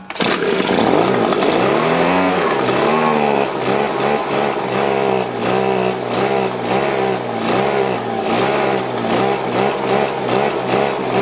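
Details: Two-stroke leaf blower after carburetor cleaning and primer bulb replacement: revs rise and fall unevenly about once a second; bulb fills with fuel, carburetor struggled to draw gas, jets possibly still dirty; engine surging.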